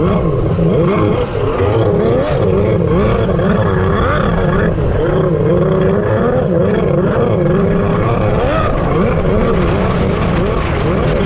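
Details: Freshly rebuilt two-stroke X2 jet ski on the lake: a loud drone wavers and surges unevenly, never settling. It runs rich despite leaning out the carburetors.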